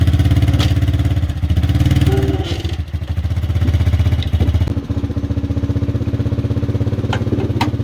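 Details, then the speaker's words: 1986 Chevy Silverado C10 with its original 305 small-block V8 (being swapped for a 350): uneven, lumpy idle whose firing rhythm wavers and surges instead of holding steady. Rough running, cause unknown. "so i don't know how well you could hear it she ain't sounding too good"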